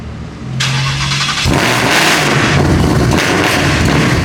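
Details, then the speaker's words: Wrecked 2018 Procharged Mustang GT, 10R80, MAF sensor suspected damaged, running only on aftermarket fuel pump without high-pressure pump: cranks, catches, then stumbling uneven lumpy idle; misfire and rough running, owner suspects fuel starvation, not confirmed. "I mean it sounds like we're misfiring obviously cuz we just don't have fuel"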